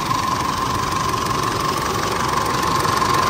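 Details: Car with long-crank starting and no fault codes idles with an uneven, slightly lumpy beat of about three pulses per second; fuel delivery intermittent, consistent with starved fuel from a dirty tank.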